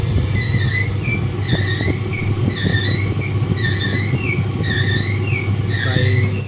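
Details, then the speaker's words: Simpson clothes dryer running with a heavy low mechanical whirring hum and a chirping squeak about once a second; worn drum bearing, fixed by replacing the bearing. "Hello guys, today we have a Simpson clothes dryer which has a problem of whirring, mechanical whirring noise."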